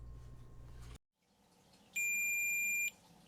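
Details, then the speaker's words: Fender-style single coil guitar pickup tested on multimeter continuity, one probe on start lead, other on pole pieces; a single steady high beep about a second long shows stripped magnet wire insulation shorting the coil to the pole pieces. "touch one probe to the start lead and touch the pole pieces with the other probe it'll beep if the magnet wire insulation is stripped and forming an electrical connection with the pole pieces"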